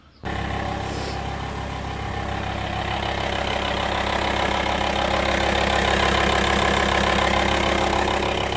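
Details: VW T5 Transporter diesel after replacing the N75 boost solenoid valve, which caused jumpy low-gear acceleration and a moo noise after shutdown; engine catches quickly into a steady, even idle with no hunting or odd noises.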